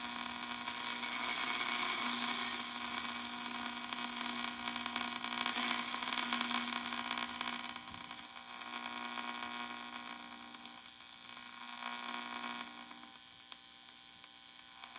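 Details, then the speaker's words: 1952 Wards Airline AM tube radio just after fixing silver mica disease in the IF transformer (capacitors replacing the mica wafer): steady hiss and static with a low hum and a very faint station; reception still very weak. "Okay. It's different. I hear a station in there. It's very faint, but I can hear it."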